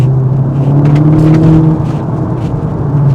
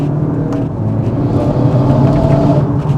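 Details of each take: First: Modified 2018 Golf 7.5 GTI on boost, exhaust valve opened in loud mode: deep steady drone climbing smoothly with a clean exhaust note, no popping or flutter; sounds much healthier. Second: Modified 2018 Golf 7.5 GTI accelerating on boost with the exhaust valve shut: deep hollow Darth Vader-like whooshing drone coming from the back of the car, not a boost leak.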